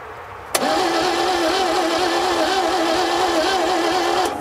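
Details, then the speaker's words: 1957 Viking truck abandoned over 50 years, spark plugs out and oil squirted into the cylinders: four seconds of even starter whirr, turning over but never catching, so it cranks without starting; very low compression suspected from stuck or worn rings. "so we know we're fighting an engine that has really low compression that could be due to it just setting up and having some stuck Rings"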